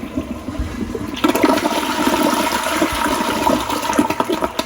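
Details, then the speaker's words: Church women's room toilet, water valve on, checked for a reported problem: strong rushing flush runs evenly for several seconds without gurgling or stalling; drains properly, stoppage ruled out. "That toilet seemed to flush okay, so I'm ruling there being a toilet stoppage out of the question on at least this toilet for right now."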